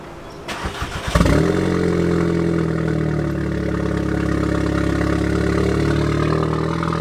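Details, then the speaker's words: 2016 Audi S3 with new CTS 3.5-inch high-flow catted downpipe and AWE switch-path exhaust, on lift, first start: cranks then loud, sharp idle with light tick and crackles; downpipe exhaust leaking heavily. "Yo, that is loud. That's loud on storm. It's leaking like crazy."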